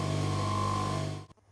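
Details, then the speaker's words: Three-phase motor reconfigured from star to delta and run on single phase, turning in the correct direction: deep, even smooth hum until switch-off; nice and quiet, normal running. "we love to talk it sounds nice and quiet wait"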